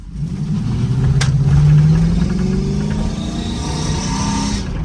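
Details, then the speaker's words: Sierra SS clone truck at a complete stop, blipped throttle: engine revs up and falls back with a faint high whistle on the rev; owner suspects a vacuum leak; unconfirmed whine under throttle. "wonder what the [ __ ] that is it sounds like a vacuum leak or some [ __ ] but when I get a gas it sounds like that"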